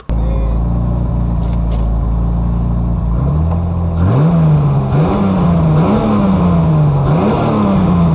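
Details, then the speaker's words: BMW E30 turbo M52 after cooling for a day following track-day lifter tick: smooth idle and clean quick free blips, no ticking, rev happy; owner suspects low oil level and G-forces let air into the lifters. "It's quite rev happy. That was easy fix."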